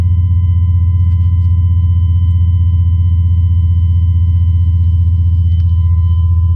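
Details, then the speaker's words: 1999 Chevrolet 2500 pickup with LQ4 turbo swap, after installing new Quantum 044-style fuel pump: steady, even V8 idle with firm low rumble, no misses or knocks, idling at reasonable AFR. "yeah idling at the reasonable AFR so things are all good thanks again quantum"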